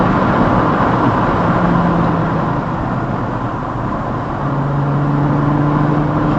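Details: VW Atlas with resonator delete pipe, dash cam under acceleration: deep steady exhaust drone with raspy edge, exhaust leak at rusted clamps; drones badly between 2,000 and 3,000 rpm.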